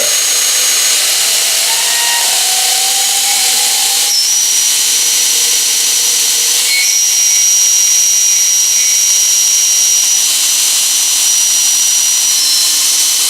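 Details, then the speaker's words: 2.2 kW motor run through a Korean variable frequency drive: high thin whistle shifting pitch as speed changes, motor jerks during speed changes. Cause unclear; owner suspects drive settings or the drive. "вот у меня глинда движок 2 и 2 киловатта подключим через частотный преобразователь вот и когда он запускается он издает странные звуки"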